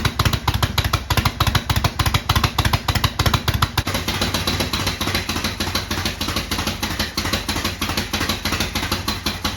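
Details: 1972 Harley-Davidson Sportster, first cold start after 32 years with new starter, solenoid, regulator and sorted wiring: loose lumpy beat about three pulses a second settling lower to steady idle; normal idle.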